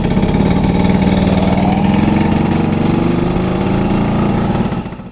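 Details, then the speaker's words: 1974 Vespa Sprint, stock two-stroke with points ignition, warming up in the afternoon: crisp even putter at steady idle, no misses or surging; healthy. "Gue akan jalan-jalan sekarang. Sore-sore sekalian manasin motor."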